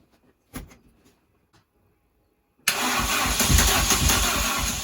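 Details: Mini with C20XE engine, first start after new fuel lines and water system. Cranking bursts, a pause, then a loud, lumpy idle near four beats a second. Owner suspects it was firing on the exhaust stroke (order 1-3-4-2, leads moved). Needs tuning.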